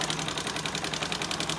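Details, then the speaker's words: Engine at idle with a rapid, even metallic tak-tak ticking of roughly ten a second, traced to loose rocker gear with excessive valve clearance; tappet noise or piston slap from low oil were suspected at first, and water-like fluid had come from the silencer. "Initial देख के मेरे को लग रहा है दो चीज़ें, एक तो इसके अंदर या तो टैपिट का साउंड हो सकता है, बट टैपिट का साउंड इतना खतरनाक नहीं होता है।"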